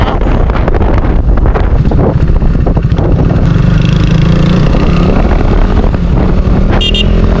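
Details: KTM RC 390 single-cylinder, after fixing no-start fuel pump problem (relays and fuses checked): strong even thrum, clean pickup, no misfires or stumbles; fuelling and running normally.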